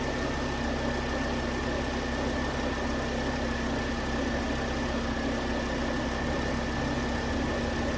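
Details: 2009 Volvo S40 T5 AWD R-Design, flood-damaged Copart rebuild, started after a failed, partly melted alternator idler pulley was found: smooth, even idle with a steady faint whine on top, no knocks or misses; engine sounds healthy.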